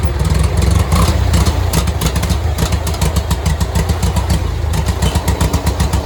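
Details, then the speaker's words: Farmall Cub 140 four-cylinder tractor, revived after sitting five years, idled down with good oil pressure: deep, even low rumble with a light steady chuff about four times a second, just humming; running smoothly. "she just coming now just a humming I'm pretty happy with that ain't y'all that's pretty good results there"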